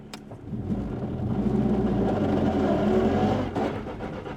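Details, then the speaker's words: NA Miata with a GearMotive ZF straight-cut dogbox, in first gear and cruising: a loud whine climbs in pitch with road speed over the engine under acceleration. Normal straight-cut gear whine. "Dude, it sounds just like the cars in the video games. That sounds so gnarly. That's normal."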